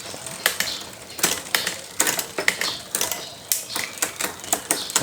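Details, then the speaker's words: Bicycle rear derailleur on upshift: freewheel clicks and sharp metallic clacks as the chain hesitates and rattles across cogs, shifting not immediate; derailleur cable tension out of adjustment, not necessarily a mechanical failure. "Namun jika kondisinya normal seperti ini, dan perpindahan ke atas menjadi bermasalah seperti ini. Tidak langsung berfungsi atau berisik."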